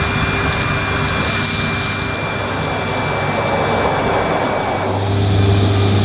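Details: Panasonic MC-E862 bagged cylinder vacuum, bought new in box, picking up dirt on deep pile carpet: a steady motor drone with a thin high whistle and airy rush, smooth and even; a relatively quiet, good performer running normally.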